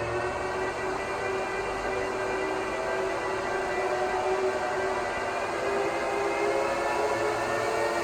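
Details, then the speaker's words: 2009 Apple Xserve (2x Xeon E5520) at power-on, one power supply connected. Loud, steady rushing whir with a constant mid-pitch whine and no rattle. Normal full-speed startup fans that settle after the OS loads. "now the excerpt is the loudest during the startup once the operating system loads after a few minutes it will settle down"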